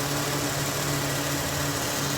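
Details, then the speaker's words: 2001 Ford Mustang 3.8 V6 after replacing all six fuel injectors for a P0171 lean bank 1 code: steady, smoother idle with only a slight vibration and no misfire. "Well, there it is running. A little bit of a vibration there. It is idling smoother."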